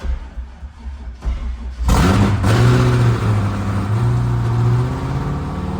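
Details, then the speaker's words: C5 Corvette LS V8 engine build, first start after fixing the ground wiring; starter cranks briefly, then it catches and settles into a loud, steady, strong run with no knocks or misses; oil pressure 30–35; runs normally. "She stars. It's so loud."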